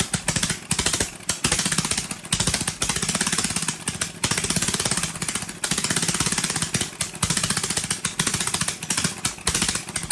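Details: Briggs & Stratton 18 HP Vanguard, fuel pump slightly leaking, choke held because it vibrates shut: very loud, harsh exhaust bark surging and dropping out in bursts with a tinny rattle. A baffle has broken loose inside the muffler.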